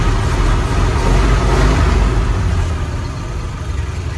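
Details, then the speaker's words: 1977 Ford F-250 Highboy carbureted V8 after timing adjustment: clean, even rev that climbs and falls back with no stutter or misfire; normal revving. "you can hear it's not stuttering and it sounds good."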